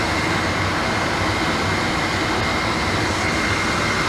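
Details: Boyar Schultz machine refurbish, dust collector blower motor first power-up after rewiring: smooth steady whir with one even tone, no knocks or scraping; normal running.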